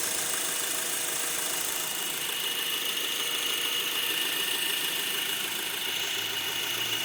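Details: Brand-new 2012 Honda Accord LX at idle with a steady high-pitched squeak/screech at one constant pitch; dealer called it normal, but owner doesn't hear it on an identical car; source unknown.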